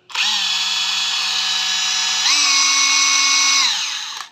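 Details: Used Hilti TE 6-A36 36V brushless cordless rotary hammer, said to look good and run smooth: a steady high motor whine that steps up cleanly in pitch as speed rises, with no rattles. Healthy tool.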